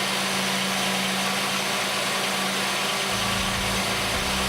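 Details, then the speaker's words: 1989 Oldsmobile 3.8L 3800 V6 idling after an intermittent stalling repair: steady, even low idle hum with no stumble or stall while the harness is wiggled. Engine runs normally. "Now let's test to see if it'll die when we wiggle it. No die, no stall."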